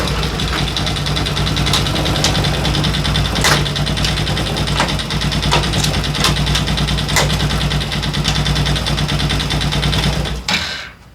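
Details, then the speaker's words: Daelim Citi Ace 100 (CA100) motorcycle engine idling with irregular sharp clicks over the beat, strange noise when shifting gears; caused by worn clutch lifter assembly rollers, accessed via right-hand crankcase cover. "هنگام تعویض دنده در موتور موتور سیکلت صدای عجیبی به گوش می رسد. این صدای ناشی از سایش غلتک های مجموعه بالابر کلاچ است."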